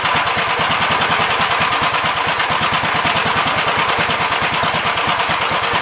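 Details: 1971 Gravely C single-cylinder after carb main jet adjustment: screaming at a high, fixed speed with rapid sharp firing and no drop to idle, good oil pressure; governor linkage needs adjusting to move the carb butterfly back further. Engine overspeed.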